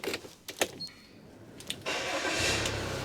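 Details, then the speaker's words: Van with a Category S5+ tracker alarm that immobilizes the engine without a valid driver ID card; card turned on: a few clicks, then the starter turns and the engine settles into a steady run; normal start. "it now starts so without that being present and turned on the vehicle won't start so it gotes additional immobilization as a security protocol"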